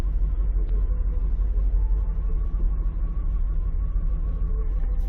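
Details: 1993 Lexus SC400 4.0, 105,000 miles, after repairing a crank-no-start caused by a non-working fuel pump: low, even rumble at steady idle, no stumble or misfire; normal idle.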